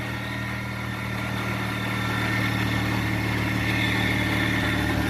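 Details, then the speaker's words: Saturn Ion Redline at idle just after a replacement supercharger was fitted to cure a boost bypass valve issue: even idle with a steady, faint high whine on top, no rattle or grind; supercharger now sounds healthy. "Alright, much better already. And the supercharger sounds much better. Much, much better."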